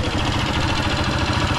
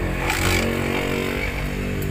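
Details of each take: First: Honda TMX 155 single-cylinder motorcycle idling before engine teardown: loud, rough thumping clatter and excessive vibration; worn connecting rod and scored cylinder. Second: Honda TMX 155 single-cylinder first run after an engine rebuild for noise and vibration, with a new clutch damper and all transmission bearings: a steady, even beat at fast idle with no knocks or rattles; normal running.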